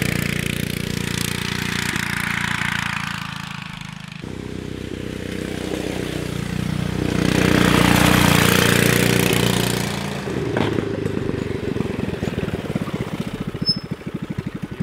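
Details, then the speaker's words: Subaru Robin 9hp off-road go kart carburetor after needle adjustment: engine revs, then sharp pops about four per second on closing throttle; may drop jet or need bigger 26mm Mikuni carburetor. "popping when i decelerate yeah it's a little maybe we can drop the jet out of it and open her up or we're going to have to go to a bigger carburetor"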